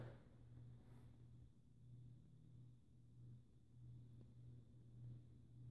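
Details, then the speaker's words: Turn of the Century Tempo 52-inch ceiling fan, about 2013, on medium speed, motor also hums on low: quiet steady low hum with a faint uneven rumble, suggesting bearing noise; cause suspected, not confirmed. "now i'm hearing some sort of bearing noise so not only does it have a motor hub but it has bearing noise"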